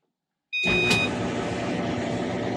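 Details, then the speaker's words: Clothes dryer after replacing the suspected squeaking drum rollers: spins up to a steady, even tumbling rumble with no squeal or chirp; the dryer now sounds as it should. "that's the way it should sound"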